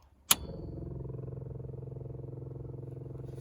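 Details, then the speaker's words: Vintage carbureted car, electric fuel pump switched on after a warm instant start: switch click, then fast steady buzzing tick of about fifteen pulses a second as the pump fills the float bowl; normal fuel pump priming. "I'm filling up that fuel bowl."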